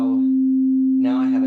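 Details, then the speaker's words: Oberheim OB-8 synth after a voice board rebuild, with the VCF frequency and volts-per-octave trimmers replaced by multi-turn trimmers: a clean steady tone holds pitch without drift, then a brighter sweep; stable filter, scaling correctly. "stable filter and and it's scaling and I could I could calibrate it a whole lot easier with the multi turn trimmers rather than the original trimmers that were there"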